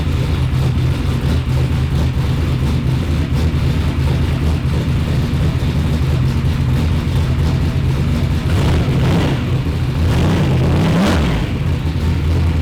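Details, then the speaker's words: Freshly built replacement engine, just installed, starting on a newly loaded tune with no throttle input while started from outside the car: it catches and settles into a steady, even low rumble with a brief pitch wander, a smooth normal idle. "I'm going to load a new tune in the car and fire it up standing outside of the car won't even touch the gas pedal"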